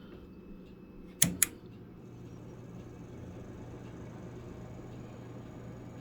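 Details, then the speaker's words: Six-year-old Oster convection toaster oven whose fan made horrible noises, after oiling the fan with synthetic firearms lubricant, turbo convection on at low temperature: two button clicks, then only a faint, steady low hum; fan running smoothly. "oh yes nice and quiet wow I can't even hear it that is awesome"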